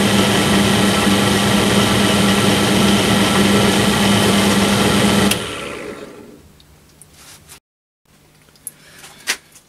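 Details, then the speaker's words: Low-cost bench drill about 10–12 years old, after oiling its dry spindle bearings: it runs with a smooth, steady hum and a clean tone, then coasts quietly down with no rumble or grind; normal spindle bearing running after lubrication. "I can actually hear the difference some from the oiling up sound really nice and smooth"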